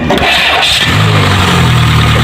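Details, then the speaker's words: Peugeot 206 with intermittent no-crank: short crank, then engine catches and settles to an even idle after the starter motor was tapped and jumpered; a loose magnet jamming the starter armature suspected, not confirmed. "jadi akhirnya yang kerusakannya dari motor starter kemungkinan besar magnetnya itu lepas jadi mengganjal kepada apa kegemparan dynamoto namanya angker jadi namanya dinamo tidak bisa bergerak"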